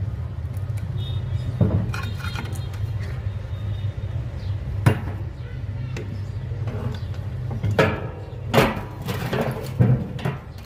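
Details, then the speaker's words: Chinese-made small water pump motor before bearing replacement: loud, rough, annoying low drone from worn bearings. "كده احنا سمعنا صوته وهو صوته مزعج،"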